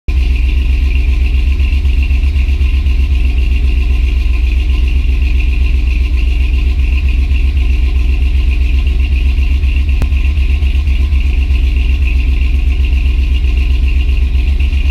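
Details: First start after rebuild with FiTech fuel injection: strong, even low idle pulsing about four beats per second with no knocks or ticks; engine runs healthy.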